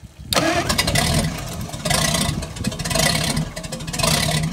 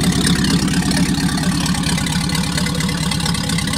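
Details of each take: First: Packard 356 nine-main-bearing marine engine on its first run after a rebuild: rough, uneven firing and surging revs after catching, then settling as excess assembly oil clears from the cylinders. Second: Packard 356 nine-main-bearing marine straight-eight, first run after rebuild, excess oil on cylinders clearing out: even steady firing, smooth low rumble, no knocks or misses; final adjustment pending.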